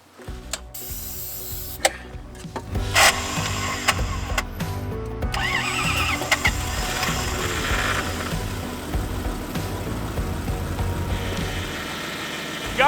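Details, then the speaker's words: 1989 Toyota pickup with a 1UZ V8 swap, cranked at about −20° with brake cleaner sprayed in the intake: the starter spins with a loud high whir but does not engage the flywheel; a new starter is ready to fit. "so as I was trying to start it there you could hear the issue I'm trying to fix started spinning it's not engaging and it makes a pretty good noise while it does it too"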